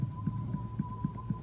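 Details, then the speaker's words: Hyundai Accent rear suspension knocking on bumps at low speed, right wheel: dull hollow even thuds about four per second; cause worn rear anti-roll bar bushing, not the rear strut already replaced. "у нас тут по кочкам едешь медленно удара тык тык тык тык на столе в эту правое колесо да это он и есть"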